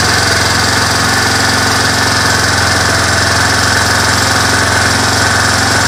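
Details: Four-wheeler ATV with original carburetor, which earlier backfired and wouldn't idle; cold-natured, started choked in neutral. Steady, rapid single-cylinder putter with no stumbling or knocking. Normal idle.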